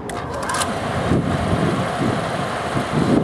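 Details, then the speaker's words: Exhaust fan with a newly installed 0.25 HP motor and 3L340 belt, first run: steady, even whoosh and hum with no knock or squeal; amp draw near the upper end of the 5.4 A service factor, but it runs smooth. "overall the operation looks pretty good it looks like it's running pretty smooth"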